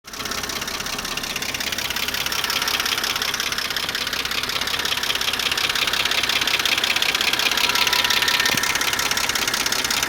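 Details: 2008 BMW 325xi N52B25 petrol six idling after lifter replacement: fast, light, even ticking riding on top of the engine note.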